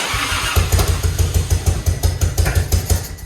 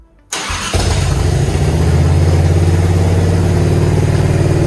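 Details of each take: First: Grandpa's Harley-Davidson, off the road over 15 years, running during restoration: lumpy uneven low thumping about three beats a second with irregular exhaust pops as it dies off; owner says it needs fixing, cause unclear. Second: Grandpa's Harley-Davidson V-twin, off the road 15+ years, restarted after the oil check valve ball fix: catches within a second and settles into a deep, steady lumpy beat for about eight seconds, then eases down. Better than before but not great; oil still looks aerated.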